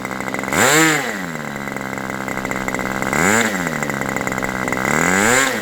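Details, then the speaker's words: Aviastar 46 ABC glow engine, testing two carbs: a high buzz surges up three times, about every 2.5 seconds, then drops back. Peak RPM is lower with this carb, and the barrel is almost fully closed. Owner plans to richen the high-speed needle; cause unconfirmed. "So, right now we've got a a lower peak with this carb, but I've had to really I've got this barrel almost completely closed and it was still"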